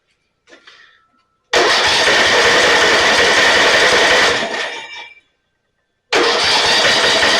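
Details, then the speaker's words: Snapper 28-inch riding mower, 12 hp Briggs & Stratton, electric start, hard starting, carb cleaner sprayed in: starter spins the engine steadily for about three seconds, twice, with no firing; no spark suspected, water in fuel also suspected. "sounds like we don't have any spark let's take the spark plug out"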